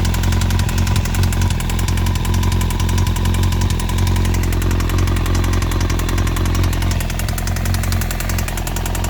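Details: 2002 Yamaha YZF-R1 that was stored for a year, idling with a fast, uneven top-end rattle over a steady hum. The EXUP and exhaust manifold bolts were checked, and replacing the cam chain tensioner didn't fix it. The cause is unclear.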